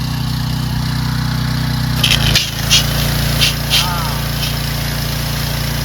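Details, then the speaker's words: Curbside Troy-Bilt/Craftsman pressure washer after carburetor cleaning, spraying with a Ryobi gun; small engine holds a steady drone with short hissing spray bursts, no stumble; running properly under load. "works great. Fixed. There you go, fellas. That's how you fix a pressure washer naked."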